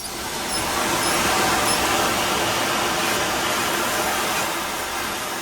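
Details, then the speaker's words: 1922 Baldwin 70-ton Mikado oil-burning steam locomotive, water glass lower valve opened during firing up: a steady, full watery roar with no sharp steam-whistle hiss. Water flashing to steam shows the passage is normal. "Now, we're going to open the lower one, and we're going to listen for a hiss that's more like a watery sound versus a high-pitched hiss like a steam. It's actually more like a roar, so check this out."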